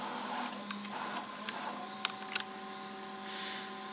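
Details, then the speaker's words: Home-built FamiLAB CNC after GeckoDrives moved next to the motors and tuned: servo motors (48V supply on 60V motors) jogging X and Z axes, quiet even hum with light clicks, slight vibration; normal servo motion. "so it's very quiet go ahead make any noise here it's just a little bigger than others a little bit better than that it's actually are running quite well"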